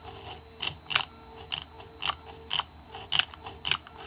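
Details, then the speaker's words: Mercedes S320 throttle actuator bench-tested with E-gas module: sharp uneven clicking and gear chatter about once a second as the throttle actuates, slight binding but working; dry gears need lubrication. "so as we see throttle activates it might have a little bit of binding but that's not not so significant in other words it is working gears could use some lubrication you can hear"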